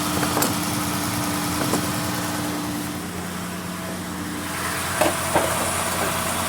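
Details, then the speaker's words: 2016 Dodge Grand Caravan 3.6L started with the accessory belt removed: steady, smooth idle with no whine or chirp. The earlier startup noise, first suspected as timing chain or variable tensioner, is traced to the alternator bearing. Normal idle. "al arranque sin la banda sin la faja o la banda de los accesorios pues no no no hace ruido"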